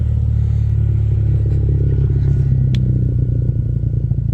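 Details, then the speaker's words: Warm 1998 Toyota Celica GT ST202 on blocks: loud, deep idle with a coarse pulsing blat under a steady rumble. An exhaust leak is suspected midship, probably at a slip joint, and it is worse on throttle; not confirmed. "Yeah, she loud. It's warm as well, so that's the fucking quietest it's gonna get."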